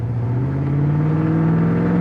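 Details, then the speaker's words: 1963 Ford Galaxie 500 Fastback with a 390ci FE V8 and C4 3-speed automatic, test drive under throttle: strong steady V8 drone climbing smoothly in pitch. It pulls with good speed and makes a clean, firm, normal upshift. "Sounds good. It's got good speed. Nice shift. Shift's good there."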